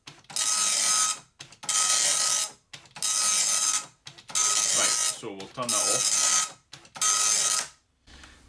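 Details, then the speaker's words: Amstrad DMP-2000 dot matrix printer, about 30 years old, self-test started by holding line feed at power-on: six evenly spaced rasping, buzzing print-head bursts about 1 s each with short pauses between lines; printing properly, ribbon worn. "a self-test, so if you power it off, power it back on again and keep and hold line feed pressed down, it does a self-print."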